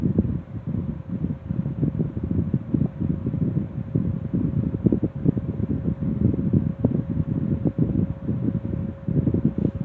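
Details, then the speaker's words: 1960s Phoenix 16" box fan on low speed after restoration, with the motor freshly cleaned and serviced and the switch replaced with a toggle: low, steady motor hum with a soft airy rush, no rattle or scraping. It runs smoothly. "Fan is still running like it should. This has been in excessive use, so it's still running like a diamond."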